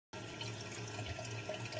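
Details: Kohler toilet running constantly: a steady gentle hiss and trickle of water into the bowl with no shutoff. The leaking rubber flush valve seal (yellow gasket) is the cause, and replacing the gasket fixes it.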